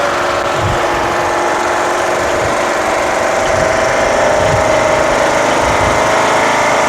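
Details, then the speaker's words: Craftsman LTS1500 lawn tractor with rebuilt 17.5 HP Briggs OHV single-cylinder made from two blown engines, on a test drive: steady even drone under driving load, no misses, knocks or hunting; runs very well, though idle is very high and the throttle is sticky. "runs very well three stop let's do an adjustment it's idling very high"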